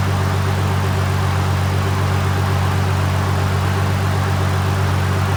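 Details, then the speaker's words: Toyota Supra JZA80 after a 2007 Toyota Sequoia alternator upgrade, idling with SPAL fans and lights off: even low steady idle without labouring; charging 14.33 volts versus 14.13 with the stock alternator. "So with the engine just running by itself, the fans off, no light, and nothing at all, just the motor running."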